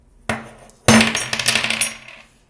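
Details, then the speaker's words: 2019 Canyon Torque AL 5.0 mountain bike, about 50 hours of city and pump-track riding, rocked by hand; sharp clacks and rattling knocks from large play in the rear pivot's plastic (caprolon) bushings and an axle that just slides in. "велосипед каньон top gear до 1900 год откатал примерно 50 часов катания по городу pump ничего особенно и уже появился стук по 200 долго выяснял откуда тут идет отсюда у нас здесь идут пластиковые втулки капролон"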